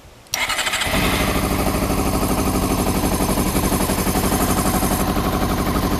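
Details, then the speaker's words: Honda CBR400RR NC23 being checked for no spark, fuel pump disconnected, petrol poured into the line plus starting spray: cranks, catches, then runs unevenly pulsing, starved of fuel. "i can't get the fuel pump on this pipe so i've just poured a lot of petrol down that pipe um so hopefully if i now spray this [Music] in there start it up again it might just uh crack up well we're getting there slowly"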